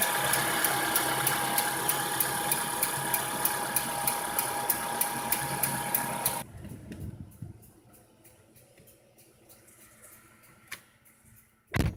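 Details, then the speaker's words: Renault Megane 2, cold unwarmed engine at idle, Valtec LPG injectors about 500 km after gas conversion: crisp even ticking about 2.5 per second, clearly audible even inside the cabin; injectors started clattering after install, running diesel-like, cause unknown. "То есть явно даже в салоне очень слышно звук форсунок."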